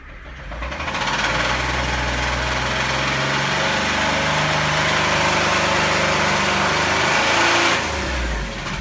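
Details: 2010 Jeep JK engine knock after EGR work: a busy, uneven ticking knock rides over the idle at about two beats a second after start-up; cause not confirmed.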